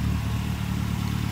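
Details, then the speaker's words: Ford Escort RS Turbo CVH solid-lifter engine with Cosworth EFI and Newman stage 4 camshaft, after spark-related misfire fixed: even, low, steady idle with light rocker-arm tick; normal idle. "But glad we've got to the bottom of it. For a solid lifter engine, you can hear how quiet it"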